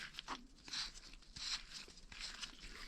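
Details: Toyota MR2 Turbo strut top mount bearing turned by hand, compared with one already cleaned and regreased: lighter scratchy crunches in loose bursts about once a second; less rough than the first, likely dirty, salvageable.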